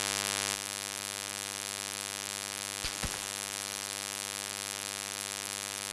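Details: Constant fixed-pitch electrical buzz with a couple of brief clicks in ShadowPlay-recorded audio; unwanted hum of unknown cause, owner asking how to fix it.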